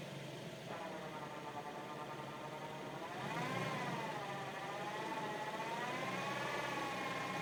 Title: G37 weird whining noise?